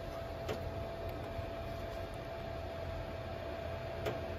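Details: Three-year-old Castle Serenity pellet stove, just cleaned, burning with igniter off, drawing 40–60 W (blowers, auger): quiet steady fan hum with faint constant tone and light ticks; running normally.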